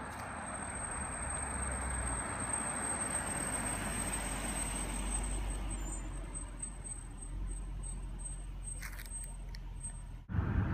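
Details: 2014 Range Rover L405 at about 20 mph on a normal street; thin steady high-pitched brake squeal over low road and engine rumble, recurring every 3-4k miles until pads and rotors are replaced; cause suspected, not confirmed.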